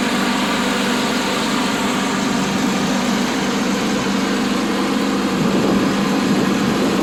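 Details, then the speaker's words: Lawn mower engine started on full choke, with a new fuel filter and the PTO disconnected: even, steady drone with no misses or surging and some spindle noise. Normal idle; it runs really good. "I've been driving around. I cut the grass with it already. It's running really good."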